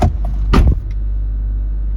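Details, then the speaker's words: Range Rover L322 3.6 TDV8 Hitachi air suspension compressor running with no errors as the vehicle raises; handling clunks then strong even low drone, no knocking or labouring; owner hopes fault was the compressor piston. "Yeah that compressor is still going. I don't know you can hear that on camera?"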